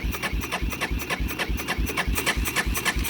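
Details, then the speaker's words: 1999 Yamaha Big Bear 350 4x4 ATV, gas on minutes earlier, choke tried: even starter churning about three and a half turns per second, never catches; cranks but won't start. "I turned the gas on just a couple of minutes ago before I started filming. And this is all it'll do. All it will do."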